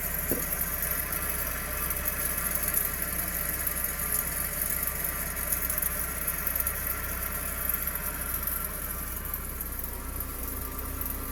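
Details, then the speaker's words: Toyota rear wheel bearing (RWD axle) with caliper and brake disc removed, pads worn out: steady low rumble and drone as the rear axle spins freely; noise grows with speed, bearing worn and being replaced. "habiendo retirado ya el caliper y el disco de freno podemos Escuchar aún más claramente El ruido proveniente de este rodamiento"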